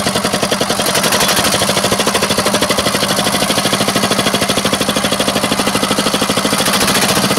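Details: R180 single-cylinder boat diesel, previously hard to start, smoky and sounding abnormal, after the bearing metal and oil were replaced: it chugs along with a steady, even beat and no knocks or misses. Normal running.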